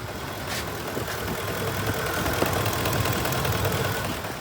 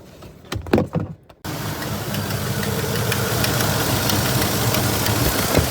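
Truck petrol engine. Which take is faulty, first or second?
second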